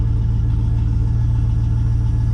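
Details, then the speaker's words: 2000 Chevrolet Silverado hunt truck, oil just changed to full synthetic, running with no exhaust system: deep, loud, raw rumble at steady idle with a hard low pulse, way too loud; good oil pressure, gauges erratic from a bad cluster ground. "That's what they sound like with no exhaust. Crazy."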